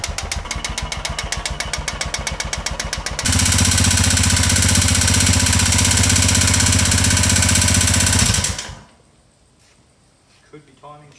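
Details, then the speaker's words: Royal Enfield Himalayan 410cc single at idle and revs: loud, sharp, regular knocking about four a second that grows with revs. Piston slap from a broken piston, top chunked at inlet and exhaust sides, possibly cracked near the gudgeon pin. "and here's the problem a little bit of piston slap going on there"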